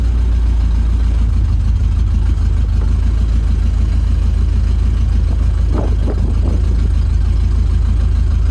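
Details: 1971 International 1210 pickup sat 30 years, started with fresh fuel and no coolant: deep rumbly idle with loose uneven clacking about three times a second; sounds wrong, cause not found, engine shut off.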